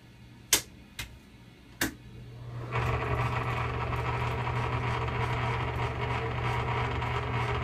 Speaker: bearings that's pretty bad just definitely needs a whole lot of oil